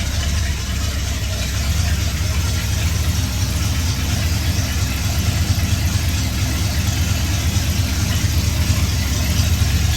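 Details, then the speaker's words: 1966 Ford F100 V8, warm, after replacing the exhaust gasket and retightening to fix an exhaust leak: deep, steady burble with an even low rumble and no ticking or puffing; running a little rich, healthy settled idle. "so let's give it a run man she's running a little rich"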